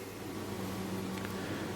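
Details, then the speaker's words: Gaming PC after hardware upgrades, listened to with most case fans unplugged: quiet but constant airy whoosh over a faint steady hum, louder than expected; the front fans seem loudest, some noise escapes through an open drive bay, source not confirmed. "Fair enough. Can't really tell what's making the most noise, really. These front fans sure aren't quiet, really."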